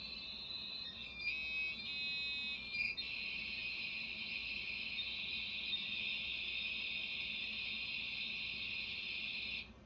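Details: Dial-up modem on a Livingston Portmaster 2E terminal server, port S1 at 57600, with a Windows XP client: warbling chirps settle into a high hiss for about seven seconds, then cut off. A clean handshake that connects, gets an IP address and pings out.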